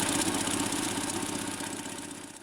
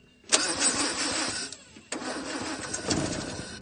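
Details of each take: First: Land Rover Series 2A revived after sitting several years in a paddock, fuel tank issues overcome: steady, even idle with no knocks or misses, settling smoothly, normal idle. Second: Land Rover Series 2A left sitting several years in a paddock: two bursts of cranking with a brief catch but no sustained running, crank no start, fuel not reaching the carburettor bowl, fuel tank issues suspected.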